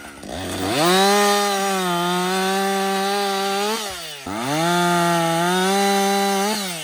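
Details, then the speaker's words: Husqvarna 562XP 60cc chainsaw, back from the shop after a dealer software reflash for dying when hot, no-start and stumbling; about an hour in, two-thirds of a tank used, bucking windfall. A clean high scream climbs to full revs, holds through the cut and drops back. It runs normally under load. "so far it's running great um I've got I'd say about I don't know two-thirds of a tank gone but listen this is real world practical use right 60cc saw bucking up some windfall"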